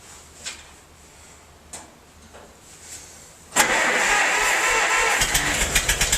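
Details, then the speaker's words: Massey-Harris 44 tractor stored 10 years in a semi trailer, with burned points replaced, battery cable loose: a few slow cranks with starting assistance, then an uneven, lumpy run with irregular pops as cylinders 2 and 3 misfire; owner suspects stuck valves, bad plugs or wires; a stuck intake valve was found. "Well, alright. I checked it out. 2 and 3 cylinders aren't hitting. Either got some stuck valves or bad plugs or bad wires."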